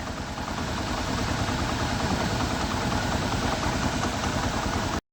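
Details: Bajaj Platina 100cc after self-starter motor repair: starts on self-start and idles with an even, steady putter around two hundred beats a minute, no misses or knocks; healthy idle.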